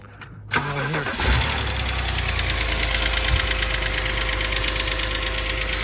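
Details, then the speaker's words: BMW engine started and left idling, not hot: fast, light ticking over a steady hum after cranking; ticking is said to clear by driving with revs kept above about 3,500 rpm. "if you you know leave it at idle for a long time it starts making a ticking noise just like now we'll just turn it on"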